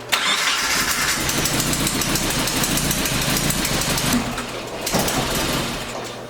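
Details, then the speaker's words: Nissan 240SX with KA engine, new distributor fitted and just retimed: catches and runs unevenly with a ragged, stumbling beat and shifting idle; cause not confirmed. "that doesn't seem time properly I'm gonna give that another shot I hope this car starts again it's literally worse than when I started"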